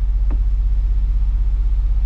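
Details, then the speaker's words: Fiat Brava after 23 years parked, now running on all four cylinders: steady low rumble with even pulses, no misses or knocks; smooth, healthy idle, earlier faint noise stopped. "Agora sim na lenta redondinho"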